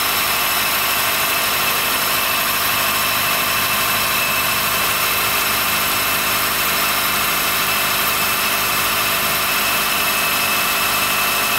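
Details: 2013 Honda Fit 3 Hybrid L Package (DAA-GP5) below about 10°C: constant high, thin squealing and creaking over a quiet idle. It stops once warm after driving; the dealer saw no warnings and judged it harmless, location unconfirmed.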